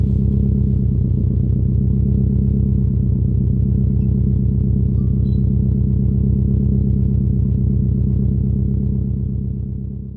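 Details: Subaru WRX STI V5 engine after the ticking was fixed: a smooth, low, even rumble with a steady beat and no ticking; the engine sounds healthy and settled.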